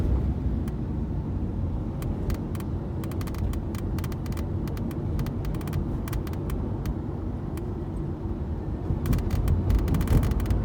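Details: Tata Nexon driving on smooth road; light, irregular ticking rattle over steady road rumble, suspected from the sunroof, not confirmed.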